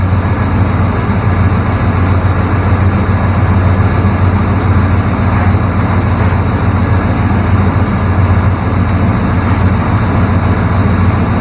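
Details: 1994 Chevrolet K1500 Blazer after repair of a 1500 rpm high idle, now idling about 1000–1100 rpm: steady, even idle with a low settled hum, no hunting, misses or ticks; normal idle.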